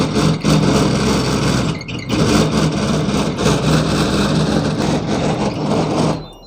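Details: Evaporative air cooler run without water, fan speed adjusted: loud rough rushing roar with low hum; fan wheel slipping on motor shaft.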